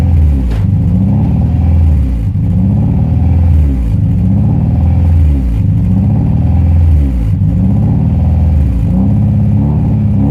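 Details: Honda Prelude H22 idling; idle hunts up and down about every two seconds and never settles; surge from a vacuum leak, owner concluded intake manifold gasket.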